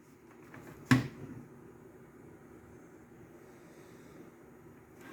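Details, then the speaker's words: Technics RS-TR165 dual cassette deck recording-side mechanism after gear replacement: one sharp clack as it engages, then a faint, steady hum with the previous clicking gone. "perfectly silent fast forward rewind play now we're going to see if it's going to play that way"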